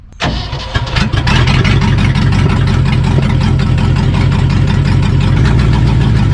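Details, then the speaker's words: 1974 Ford F-750 dump truck, sat about 5 years, carburetor rebuilt for leaking seals, air box refitted, first run: cranks, catches and settles into a deep, slightly uneven lumpy idle; rough running, still needs tuning. "Still needs a little tuning on it, but let's just drive it over to the shop over here real quick, just check everything over."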